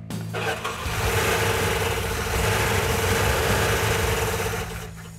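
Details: Engine started after finding the missing fuel tank sending/pickup unit had left no fuel reaching the fuel pump: it cranks, catches and runs lumpy and uneven with an irregular beat. It doesn't sound good; cause not stated.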